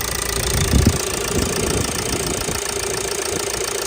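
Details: Ford Transit Connect 1.8 TDCi diesel, fully warmed up after a thermostat and housing replacement for a slow coolant leak; steady idle with even injector clatter and no uneven beats or extra noises, healthy running.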